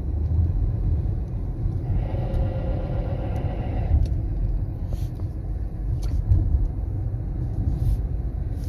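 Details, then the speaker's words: 2017 Kia Forte LX with 50,000 miles: heavy road rumble, then about two seconds of rough, gritty scraping from the front when braking, as the pads are worn metal-to-metal and the rusted rotors are shot; both need replacing. "it's definitely patches pets it's party metal to metal time for breaks and rotors people"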